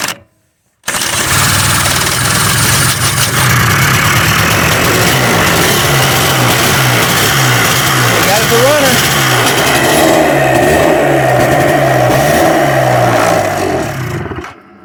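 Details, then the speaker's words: 2005 Polaris Sportsman 90 two-stroke, previously non-running; ignition switch, coil and CDI replaced; premix sprayed into carburetor. It catches and runs rough and uneven, then sags and dies as the fuel runs out. Gas lines still need replacing. "she ran the gas out but she runs all i got left to do now is to get the gas lines replaced"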